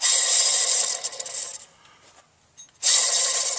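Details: 2006 Ford F150 with engine whine: old accessory belt pulley spun by hand gives a dry gritty whirr fading as it slows, a worn bearing; whine gone after replacing the pulleys and belt.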